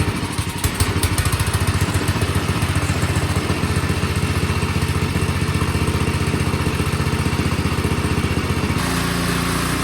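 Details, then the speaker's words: Ariens snowblower single-cylinder engine at idle after a carburetor cleaning; before, it surged below full throttle. Now a steady, even beat of about three pulses a second with no hunting; surging fixed. "all right it is done you can hear how much better it's running just sitting at io it is not surging so carburetor clean did it"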